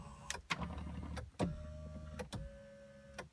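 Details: Lincoln LS that had sat about a year: short clicks, then a steady, even electric-motor whir for about a second each time the power tilt/telescope steering column moves. The adjuster works smoothly and sounds healthy.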